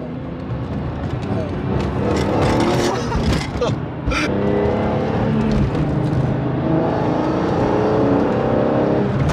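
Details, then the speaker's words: BMW E46 M3 with SMG gearbox at the fifth (most aggressive) shift intensity with sport mode on, pulling away from a light: engine pulls hard with a sharp clunk on each quick upshift, which is normal. "that clunk. That clunk is uh the SMG basically shifting to the next gear as aggressively as it can."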